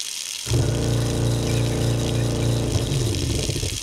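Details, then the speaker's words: InSinkErator garbage disposer (84211601) with tap water running: heavy throbbing low hum and pulsing rattle, vibrating excessively and shaking the whole counter. "Uh the customer is complaining that it is vibrating excessively."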